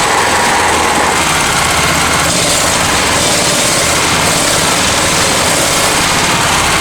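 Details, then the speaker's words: Honda EX1000 generator after carb cleaning, suspected debris at bottom of fuel tank: buzzing at fairly high speed with a ragged, wandering note, running unsteadily; owner thinks idle setting needs manual adjusting. "I mean, it's still working everything out, as you can hear. That's the thing, it wants to run."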